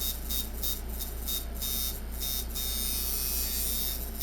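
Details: eBay Micky Sharpz hybrid clone coil tattoo machine after spring-tension tuning, at about 7–8 V: an even fast electric buzz with a steady low hum and brief pauses between runs; running normally and smoothly.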